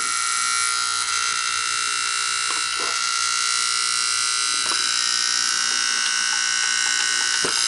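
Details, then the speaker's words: Sanyo 7200 Beta HiFi VCR with no-power fault: steady, high-pitched electrical buzz with no motor sound, appearing when the zener diode was moved; power supply issue suspected. "Well, by moving the Zinger diode, it's got something going on."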